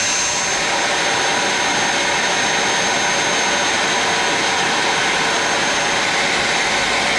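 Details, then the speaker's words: Magnet drill after repair (field replaced, bearings repaired or field and switch replaced): steady, even motor run with a high constant hum and no rattle, grind or speed change; the motor sounds powerful and healthy. "Okay guys, it's seems like 2 brake drills, magnet drills working very well after we replace the field and repair bearings. And this one replace fields and switch. This sound work very powerful."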